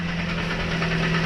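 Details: 1.3 L Toyota Vios "Batman" with manual transmission, towed in because gears engage but it won't move: steady low idle hum with a faint rough knock from the right side near the gearbox, no gear selected yet; cause unconfirmed.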